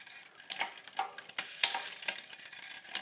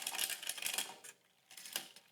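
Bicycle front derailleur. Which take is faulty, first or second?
first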